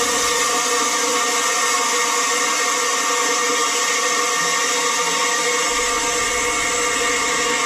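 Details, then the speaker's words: HALO 5 whole house water filter just installed, forced regeneration cycle: loud, steady hiss of air and water forced out under full pressure, unchanging; trapped air purging normally before the leak check. "That's all the air coming out. Check for leaks."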